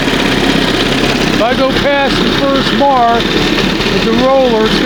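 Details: 1971 Johnson 20 hp two-stroke outboard after carburetor rebuild and readjustment: steady, even buzz at fast idle, no stumbling or misfire; normal fast idle, running smoothly.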